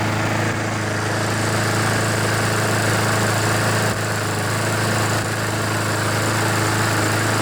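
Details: Poulan lawnmower with a Honda GCV engine, brought in with an oil-covered air filter, hard starting and heavy smoke. Running at a steady, even pace with a firm low drone and no stumbling while burning off the oil. It still needed some choke and had not fully warmed up; it runs fine.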